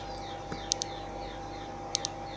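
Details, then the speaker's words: Old Fujitsu laptop power supply, opened, powered with wire soldered to output connector: sharp high double chirps about every 1.2 seconds over faint hum, adapter cycling; suspected short near one PCB area, no visible damage, unconfirmed. "sounds like a short let's see if we can see something well I can't see anything it seems to come from this area over here"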